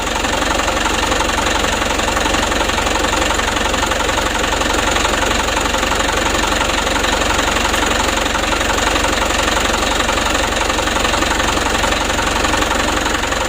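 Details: Mitsubishi Canter HD 125 diesel truck (possibly 2025) after Bosch injection pump service and adjustment; even, steady idle clatter without misses or hunting, smooth from low to high throttle; normal idle, job finished.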